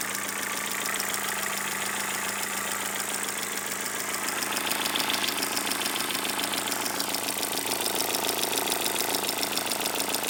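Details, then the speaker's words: Toyota Corolla 4ZZ engine just overhauled, after tightening the timing chain tensioner: chain noise gone, but quick, even ticking from the cylinder head over a steady idle remains; some valves measured too tight, others too loose, set wrong by the mechanic. "Это из- за того, что шум от цепи исчез, но, похоже, механик неправильно отрегулировал толкатели, потому что я только что измерил несколько клапанов. У некоторых слишком тесно, у других слишком большой зазор ."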